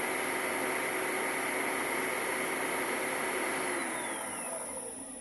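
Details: Motor after bearing replacement: smooth, even hum with a steady high whine, no rumble or grinding, spinning down at the end; healthy running motor.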